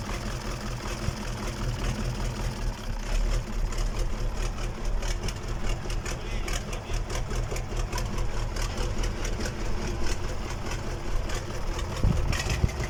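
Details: KamAZ diesel engine on its first start after a major overhaul: a deep, even idle with steady low pulses and no knocks or misses. Normal idle.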